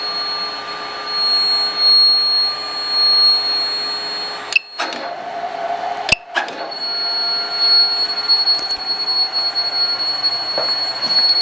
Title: Buzz Sound DCZ70 Robot